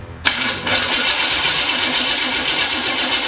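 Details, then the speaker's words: Freshly rebuilt 1968 Chevy El Camino big-block V8, very first start before cam break-in, open headers, wrong spark plug wires: catches with a sudden loud raspy bark and holds a hard, crackly open-exhaust idle; normal start. "And we are running an open header. It's gonna be nice and loud, and I'm gonna put some earplugs in, and that's it."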